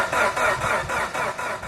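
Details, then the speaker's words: Mitsubishi Evo 8 after fitting an air intake and other changes with the lower timing belt cover installed: steady starter churn at about four beats a second; the engine cranks but never starts. "yeah the evil was in the mood to crank but not start so I had to try to troubleshoot and see what I did"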